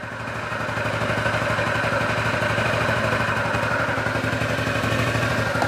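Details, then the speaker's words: 2003 Honda Metropolitan 2 scooter, previously non-running, after throttle cable adjustment: steady, even putter at a quick idle about four beats a second without stumbling; idles fine, though throttle returns to idle slower than desired. "Sounds good there. It's just the throttle. It's kind of didn't really return to idle as fast as I'd like."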